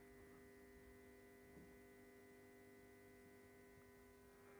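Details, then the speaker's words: 400 W high-pressure sodium grow light with a yellow-painted reflector, warmed up with the bulb turned orange: ballast gives a steady, even mains-frequency hum with a buzzy edge and no flicker or rattle, which is normal operation. "You can hear the bellows humming easily."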